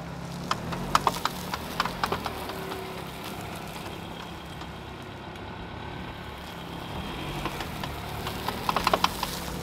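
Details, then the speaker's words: Vehicle with both CV axles bad, recorded outside: bursts of sharp repetitive popping clicks over quiet rolling background, fading and returning; worn outer CV joints. "the vehicle shown in the video actually had two bad cv axles so you're going to hear kind of a repetitive pop pop pop kind of noise that's one popping right after the other"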